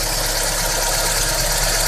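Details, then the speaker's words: Daewoo Nexia with GM 8-valve engine after repair of a knock (worn rocker replaced, camshaft reground), running after reassembly: smooth even idle, only timing belt whir, slight whine and injector ticking, no knock; normal idle. "Слышно только работу ремня ГРМ, легкое подвывание и форсуночки. Стука нет."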